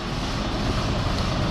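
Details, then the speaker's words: D12 truck diesel at idle, warm: loose, uneven low rattle over a deep rumble from the EGR pipe between the EGR valve and cooler; the truck was driven 90 miles with it. "Because you can hear it at idle, but it's freaking people out how it sounds."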